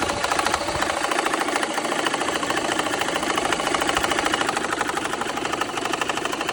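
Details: BMW N54 at idle after the cylinder 1 injector was replaced, which seemed to stop the cylinder 1 misfire; no check engine light. Sharp, uneven ticking clatter about 75 per minute remains, top-end knock of unknown cause.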